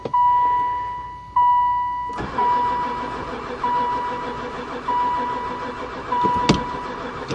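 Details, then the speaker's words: Long-stored van (sat about 4 years, barely ran before) cranks in repeated bursts over a steady warning chime and never fires. This is after gas was poured into the intake on the third try. Oil light not on; owner suspects no spark. Crank, no start. "um I think we definitely got no spark I give up piece of bees"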